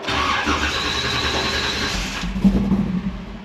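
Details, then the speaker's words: 1969 Chevrolet C10 with Blueprint big block 540 and a newly installed Holley 4150 double-pumper carburetor, first start with empty float bowls; catches, runs rough for a couple of seconds, then stalls, believed out of fuel. "it will probably run and die which would be expected"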